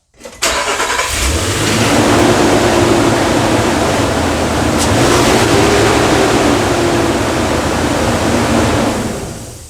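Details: 2013 Nissan Frontier 4.0L at idle, a loud, steady whooshing roar sits over the idle from start to finish without easing off; the fan clutch is stuck engaged.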